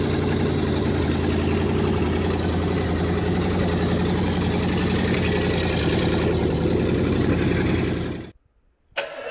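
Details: Rebuilt International 345 V8, first start-up, timing set by ear, carb needing work: steady loud idle with fast, mostly even chuff and slight unevenness; timing and carb still need sorting.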